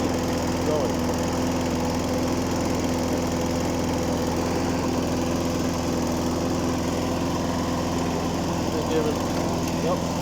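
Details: John Deere 14SZ single-cylinder mower, bought as a non-starter, runs after carb cleaner was sprayed into the carb; the choke lever doesn't move and is the suspected no-start cause. Steady, even drone with no misses or surging: normal running.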